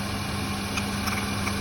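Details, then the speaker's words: Hyundai Santro Xing, petrol/gas (LPG) car, misfires on petrol only and runs fine on gas. Slightly uneven idle; pulling cylinder 3's plug lead gives no change while 1, 2 and 4 respond. Cylinder 3 is dead from a blocked injector. "അപ്പോൾ ഈ 3 working അല്ല, 1 ഓക്കെയാണ്, സെക്കൻഡും ഓക്കെയാണ്, 4 ഓക്കെയാണ്."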